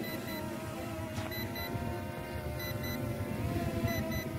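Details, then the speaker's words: Brushless drone (S5S/R103 flight-duration test) still flying stably while its remote beeps repeatedly over the steady whir as a low-battery warning; it should land at the beeps. "Masih bunyi bip-bip, tapi dia masih terbang ya."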